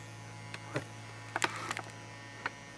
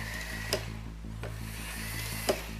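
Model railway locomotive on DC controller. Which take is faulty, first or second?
first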